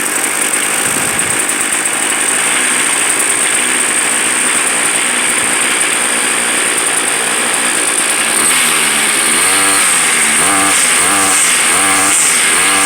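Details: Gas string trimmer about two years old, started after priming and five pulls, starts harder than new; small two-stroke buzzes steadily, revs rise and fall smoothly, running cleanly.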